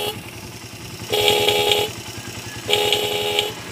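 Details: Motorcycle idling with the battery terminal disconnected and no capacitor (elco) fitted: two short horn blasts, each thin and strained, so the horn is weak from a poor battery supply. It was louder once the capacitor was installed.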